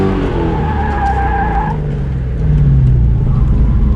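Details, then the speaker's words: Ford Mustang V8 drift car (DriftStang) during drift ride-alongs: uneven, stumbling beat under tyre noise, down on power, driver says it feels like running on four cylinders before it dies. "Something's not running right. It's running on 4 cylinders or something. It's just, it doesn't feel right."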